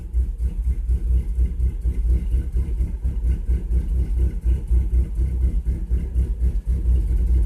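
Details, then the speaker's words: Chevrolet Cavalier with a cylinder (number 4) suspected of not firing all the time, rich at idle with bank 1 short-term fuel trim −34.4%: uneven, lumpy idle throbbing about four times a second with irregular dips; misfire suspected, cause unconfirmed. "that's the thing it'll read fine gonna focus but it idles like crap"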